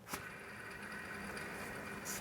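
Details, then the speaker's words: Toyota/Lexus 2GR-FE 3.5L V6, belt removed during a water pump job, tensioner pulley spun by hand: a faint, steady, thin whirring rasp rather than spinning quietly, unlike the good idler. Worn tensioner pulley bearing, so the tensioner is being replaced. "you can test your idlers this one is good this one is actually not good and we are replacing the tensioner because of that you can hear it"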